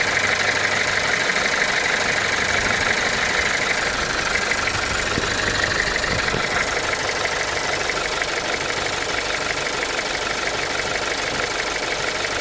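A steady idle carries a crisp, regular tick of about three per second throughout; the source is unclear.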